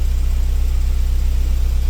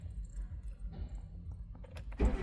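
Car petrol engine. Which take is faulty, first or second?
second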